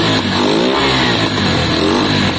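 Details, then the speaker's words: KSR Moto GRS 125 single fitted with a cone filter and jetted for it. The revs climb and drop cleanly, much smoother than the earlier jittery running, though it wants a bit more air: smooth revving. "It's been jetted for this cone. You can hear it straight away, guys. The revs are much smoother."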